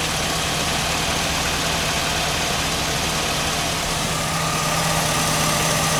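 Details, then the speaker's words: 1999–2007 Chevy Silverado GMT800 Vortec V8 idling after upstream O2 sensor replacement and wiring check: steady, even low rumble with no misses; the bank that was dropping out now runs cleanly. "It's running really nice now that we got that O2 sensor swapped out. Wiring's good."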